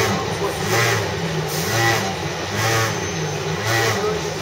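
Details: CityRail Mortdale S-Set (S18) on a City Circle service via Granville, March 2012, heard inside the 3rd carriage: loud rumbling drone under the carriage surging and sagging about once a second, like a stalling motorbike; cause unknown.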